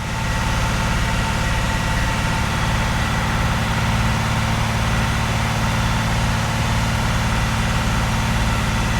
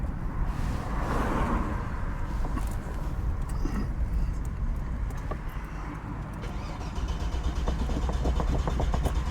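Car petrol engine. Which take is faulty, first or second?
second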